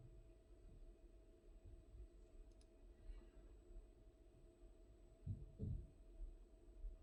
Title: Knocking sound on Worcester Boiler